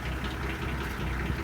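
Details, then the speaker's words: 1966 Ford F100, starts readily, good battery: quiet idle with a faint repeating light clicking over the low rumble; owner says it has a knock or something, cause unknown. "I mean, it's got a knock or something in it, but it's got good battery."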